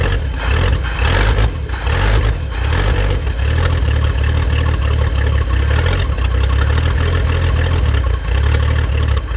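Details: 1950 Chevrolet Fleetline Deluxe six after sitting for years: catches and settles into a steady, even low rumble with no knocks or misses; running healthy.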